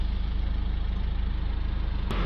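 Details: Citroën C4 Picasso 1.6 diesel being diagnosed for an injector 2 circuit fault (P0265) that earlier caused a misfire: even, steady idle with a regular low pulse and no misses or stumbles, all four cylinders firing cleanly.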